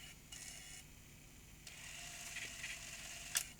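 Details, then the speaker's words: Tascam DA30 MkII DAT recorder after reseating the slipped, slack capstan drive belt on its gear; light even whirring and clicking of the tape transport in fast forward and play, no slipping or stalling, working normally. "and play. And that's working."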